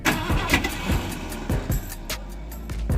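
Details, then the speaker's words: 1979 Ford F-150 Ranger XLT 351M V8, starter refitted with a new gasket: uneven cranking with irregular clunks, free-spinning bursts and one weak pop. The starter slips and isn't engaging properly; a new starter is suspected to be needed. "the starter keeps slipping but did you hear that pop and try to start do it again we need to figure out what the problem is with that started it's not engaging properly"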